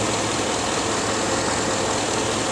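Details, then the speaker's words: 2006 Chevrolet Avalanche V8 at idle: rough stumbling beat under a steady roar; the cylinder 8 misfire moved to cylinder 6 after a coil swap, confirming a faulty ignition coil whose bolt wasn't threading in. "took the coil off number eight and put it on six and now you can see we have misfires on cylinder number six so it's simply gonna need just a coil"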